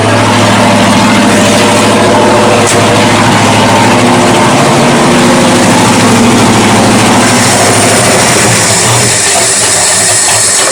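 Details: 1979 Ford Dentside shop truck V8 after new carburetor install: loud steady idle with even low rumble, no stumbles or misses; sounds better though owner says an engine issue remains.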